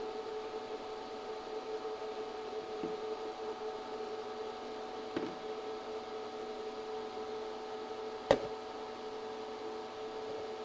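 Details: ChocoVision Revolation 2 tabletop chocolate tempering machine in Temper Two mode, rising to 88.7° dark chocolate temper point: steady, even motor-and-fan hum with a couple of faint clicks and no roughness. Normal running.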